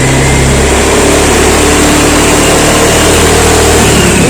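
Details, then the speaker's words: Scooter running on used Shell Advance oil being throttle-blipped with no smoke at all; revs rise and fall cleanly with no stumble or rattle, smooth and healthy. "Biarpun saya gas, enggak ada keluar asap. Enggak ada keluar asap sama sekali ya. Tuh aman. Enggak ada masalah."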